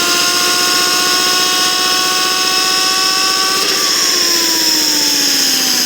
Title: Подшипник гудит как Yamaha R1